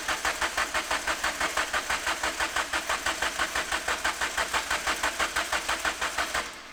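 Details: Modified Mk2 Ford Fiesta after downpipe and screamer pipe install, tank has fuel: steady starter cranking about three strokes a second for six seconds, never firing; cranks but won't start, cause not confirmed (fuel delivery suspected).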